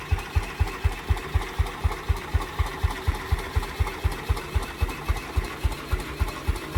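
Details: 1949 Ransomes MG5 crawler tractor, first start after the previous owner's rebuilt magneto was found 180 degrees out of phase, corrected and given fresh fuel: slow, even thumps about four a second, no skips or rattles, running cleanly.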